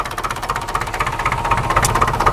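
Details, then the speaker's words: Massey Ferguson MF-35 tractor diesel engine after frost-damage rebuild, warm at about 70°C, no leaks seen: regular even diesel clatter at steady idle with no misses or hunting; healthy warm engine, normal idle. "she is doing real good I haven't seen any leaks so far so and now she is at around 70 degrees centigrade so that's just perfect working just fine"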